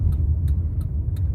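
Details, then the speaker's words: Gentle low-speed braking after cleaning the slightly squeaky factory pads and their clearance gap: only road rumble and faint wheel-rotation click, no squeal; cleaning fixed the squeak. "пробуем производить плавное торможение притормаживаю притормаживаю свиста с клипа нету еще притормаживаю"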